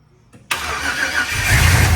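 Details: 1965 Ford F100 with a 5.3 LS V8 swap on a Crown Vic frame, first start after fuel pump rewiring; starter whirs briefly, then the V8 fires and builds into a steady, deep idle with rising revs; normal start and idle.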